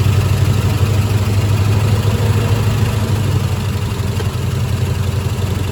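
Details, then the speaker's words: 1972 Ford F-100 Ranger XLT V8, first start after sitting over 10 years, fuel poured into the carburetor bowl with the inlet blocked: uneven, loping idle with an occasional dropped cylinder; misfire, owner suspects a stuck lifter. "thank you sounds healthy it's missing sounds like maybe one of the lifters is stuck or something"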